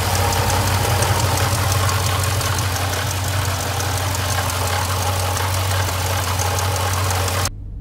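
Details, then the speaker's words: 2015 Jeep Grand Cherokee SRT idling with a fast, loose ball-bearing-type metallic rattle on top; water pump failing, preceded by coolant smell and temperature spikes. "you guys want to see what a water pump looks like when it goes bad you can hear it and you can see it right there swegen get a shine up all over the place"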